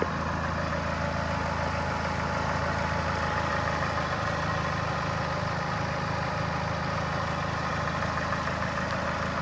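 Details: Chrysler Voyager/Dodge Caravan 2.4 petrol EDZ 151 hp, A604 automatic: steady idle with regular low knock about three a second from below near cylinder 4, engine-to-transmission joint; flexplate cracked around crankshaft bolts; balance shaft chain also stretched.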